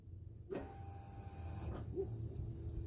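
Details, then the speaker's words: Old hot rod shop truck that died after a brief run and won't restart, key on, listened from under the tank: click then faint steady electric fuel pump hum; pump runs but appears to give no fuel pressure. "And the pump is coming on. You can hear it run, but it does not appear, for whatever reaso"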